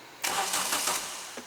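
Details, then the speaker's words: Renault Clio 172, first start attempt after engine install following nine years off the road: brief crank under a second, never fires. No fuel delivered; fuel pump dead. "so although we can hear it primer and it looks like fuel pump is dead"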